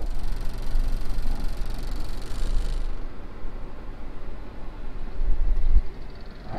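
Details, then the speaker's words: Mitsubishi Airtrek at idle, before using a fuel additive: deep, uneven low rumble with strong vibration that worsens whenever the AC compressor engages; engine shakes noticeably, cause unclear. "vibration kuat juga tau. Bila kompresor on je, dia jadi macam ni."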